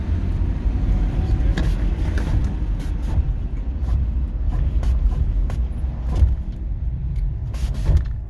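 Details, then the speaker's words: 1990 Toyota Crown station wagon while driving: dull clunks from the left front through the road rumble under hard braking only, none under light braking. A shop found lower control arm bushings worn from age. "there you can hear it when i hit the brakes hard uh when i do the brakes lightly which is the normal way to do brakes it makes no noise so uh took it to a shop they checked it out said that it uh has bad bushings in the lower control arm from no damage just from age"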